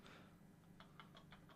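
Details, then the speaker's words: Removed alternator from a 2019 Fiat Doblo diesel (1.6 per title): spinning the pulley by hand gives faint dry clicks, about six a second. Its overrunning clutch pulley is faulty with play in the spindle, and a new alternator cured the noise. "that's it clutch Arrangement so that was faulty so we took it for a run"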